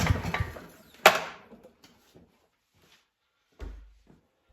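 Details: Barn-stored Yardworks mower, old oil, self-choking carb, first pulls before starting fluid: a few scraping recoil pulls and a thump, then quiet, never catches; cranks but won't start, cause not confirmed.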